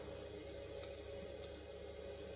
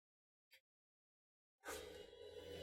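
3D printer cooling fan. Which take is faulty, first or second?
second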